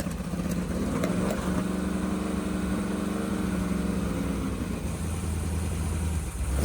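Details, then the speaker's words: 388 small-block Chevy V8 with vintage Hilborn mechanical fuel injection, fuel pressure at least 50 psi, first startup after fixing fuel leaks; lumpy but even idle with steady beat and light blip; runs clean, healthy. "Try again without fuel leaks. It sounds good. Yeah, it does. I like it."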